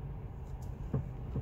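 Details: FIAT 500X, 49k: two dull low knocks half a second apart, clunk from steering column; probably steering intermediate shaft, a known issue with a recall.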